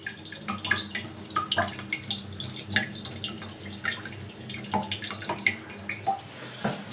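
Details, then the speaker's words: Brand-new toilet filled with water: steady trickle with splashy drips as water drains out into a bucket; a hairline crack in the toilet is leaking, and the toilet must be replaced. "So that means that there's evidently in this, there's a hairline crack that is letting it get air. So we're going to have to put a new toilet in."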